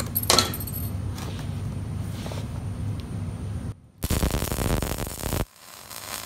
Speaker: off all right you heard that really sounded good you know and the bead looks good on it you can see that from here that it's a good looking bead um laid out nicely there